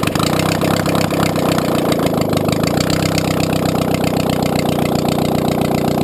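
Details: Audi A2 1.6 FSI (BAD engine), first start after engine repair following a timing belt snap caused by a broken, age-worn plastic idler pulley; catches and settles straight into a steady, even idle with no knocks, ticks or misses; normal idle.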